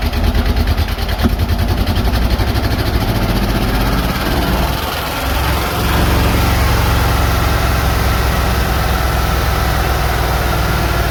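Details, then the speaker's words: Box truck small-block Chevy V8, low compression, refired after refilling a cracked, leaking radiator with water: lumpy, uneven idle that stumbles partway through, then steadies; rough-running misfire, head gasket issue suspected. "You can't kill a small block Chevy, man. You know? She might have a head gasket issue, buddy."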